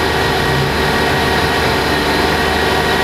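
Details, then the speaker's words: 2012 Subaru Outback 3.6R H6 with 157K miles, warmed up: smooth, even idle with a steady low hum and no screech, knock or tick, and the engine runs fine. The owner blames a cold-start screech on failing bushings, which goes away once warm. "and the engine sounds good I'll rub it up a little bit"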